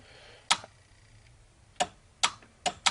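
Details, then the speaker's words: 1972 BMW 3.0 CS no-start: five sharp uneven clicks on turning the key, starter seems to engage but engine does not crank; fuses 5 and 8 possibly blown. "you hear that clicking noise it's like the starter is engaging but nothing's happening anymore"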